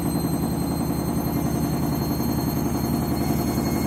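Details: Candy washing machine washing new clothes, final spin ramping up: loud steady rumble with a fast rattly clatter about three per second as the drum speeds up; strange noise of unknown cause.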